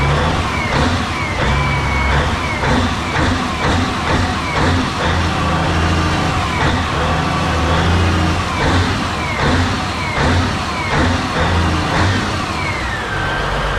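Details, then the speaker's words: Caterpillar 992D wheel loader spare 3412 twin-turbo diesel engine on test run; deep, strong steady roar under load, zero blow-by, healthy engine. "that's a sound of horsepower right there baby check that out zero Blow by that's a healthy motor right there"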